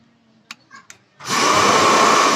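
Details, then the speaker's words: Hair dryer that blew air but would not heat, after broken heating-coil filament sections were removed and the wiring rerouted: steady even blower hiss right after the switch clicks, no cutting out, now heating; normal running after repair. "Ayan guys Ayun Gumana guys"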